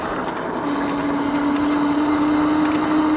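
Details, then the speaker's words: Tracer Loiter 26-inch cruiser e-bike (800 W peak) while riding: a steady mid-pitched whine over road noise that rises slightly with speed; the rider wonders if it is the motor, the front-wheel bearings or the brake. "I don't know if you can hear that, but the motor does make a little bit of a noise here."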